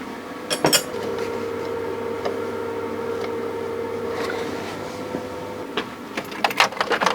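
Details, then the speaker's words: Citroën BX, hot engine idling: steady mid-pitched whine with light clicks, from the alternator or hydraulic pump (owner unsure), thought not the cam belt or water pump. "It sounds all right. Uh there is a bit of a wine sound coming from either the generator or the uh the hydraulic pump."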